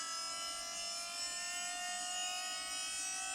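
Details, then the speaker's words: Audi 80 converted to electric drive: high, siren-like whine holds steady with no engine beneath it, the noisy power steering pump droning like a forklift; electric column or rack assistance considered to remove it. "that would remove the last thing when you're driving this thing is always the Drone coming from that [Music] thing I'm not driving a forklift but that's what it sounds like"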